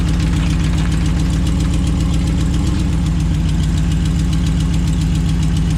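A steady idle with a fast, uneven metallic rattle, roughly three to four beats a second, riding over the engine; source unclear.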